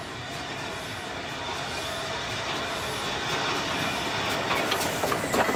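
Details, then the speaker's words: Preserved steam locomotive pulling about 150–160 tons, regulator opening as the train starts up a hill: loud rushing, clattering working sound building, no odd knocks; normal running under load. "so now we're going to be going up a hill now we've got to hear the engine working"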